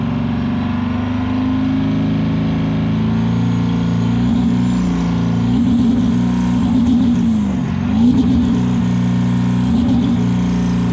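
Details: 7.3 PowerStroke diesel floored under load, blowing blue smoke: heavy drone that wavers and stumbles unevenly as it pulls, a misfire under hard acceleration.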